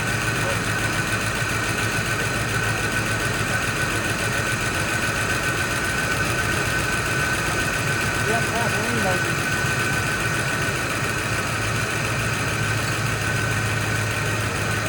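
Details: Fox Body Mustang V8 catches on a jump box after sitting and holds a steady, slightly uneven idle that settles; no clear knock, no smoke, front doesn't sound great, possibly a dropped felt.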